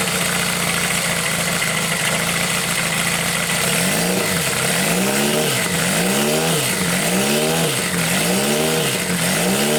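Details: Homemade four-cylinder CD125four engine built from a Monkey, indoor bench start test before frame mounting; even idle, then quick throttle blips that rise and fall cleanly. Engine runs and revs normally.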